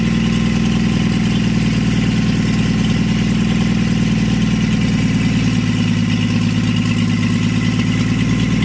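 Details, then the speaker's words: 1952 Chevy engine, weeks after freeing seized rings and carburetor, started with a splash of fuel since the accelerator pump isn't working; run briefly with no coolant in the block or radiator; loud, even idle with a steady throb, no misses or rattles. "got it all taken care of and now a couple weeks later she's running and idling"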